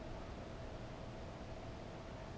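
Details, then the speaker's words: Repaired 12 V 8 A car battery charger, 4.75 A continuous output, tested after repair; only a faint even hiss, the previous loud buzzing noise is gone, charging normally. "now it's test time put the multi media on 20 volt B plug him in hopefully something will happen look it's not making that Big Buzzy noise"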